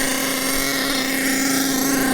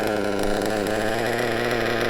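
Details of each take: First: Nitro RC engine on 25% nitro fuel: high steady screaming buzz then sags lower over several seconds as the high-speed needle is turned out; it was running too lean on the top end. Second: Nitro RC engine after clearing a fuel blockage and raising the too-low tick-over: high, even buzzing idle holding steady without stumbling; a clean, properly set idle.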